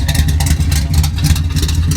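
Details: Dodge Coronet V8 back on the road, interior still unfinished, just before a 5–6 hour drive to Carlisle: a deep, lumpy burble rises and falls cleanly with throttle blips, with no knocks or misses. The engine runs healthy.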